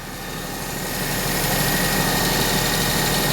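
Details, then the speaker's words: Perodua Kenari after fitting the alternator belt (power steering belt not yet fitted), idling under maximum electrical load with rear demister, lights and heater fan on: smooth and steady with only the usual faint whistle, no chirp or squeal. "That sounds quite happy, I think. Yeah, this does mean still makes his whistling noise. So that's good. We would miss that. But it's not making the chirping loose belt sort of a noise or worn belt."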